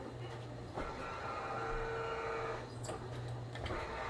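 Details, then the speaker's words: Sunsetter awning installed by third-party vendor, motor unrolling it: steady motor drone with irregular scraping and strained tone; bent bar scrubs the base and strains the whole system as it unrolls. "And it's making that sound because this bent bar, as you see, as it unrolls, is straining the whole system."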